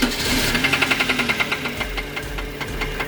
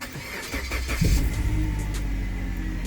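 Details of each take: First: Suzuki Grand Vitara, on a jump start at idle: sharp metallic knock repeating about 160 times a minute, loud and persistent over the idle; unmistakable connecting rod knock, engine needs replacing. Connecting rod knock. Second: Suzuki Grand Vitara after the engine was fixed and reassembled, starting with AC on: quick crank and catch, then a steady low idle with no knock or ticking. Normal engine start.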